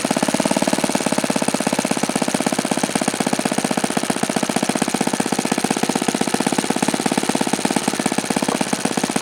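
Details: OS FS-alpha 110 model four-stroke glow engine, freshly reassembled after crankshaft bearing and connecting rod replacement, gives a fast steady rattling buzz at one speed; it falls well short of the review article's rpm figures, cause unclear.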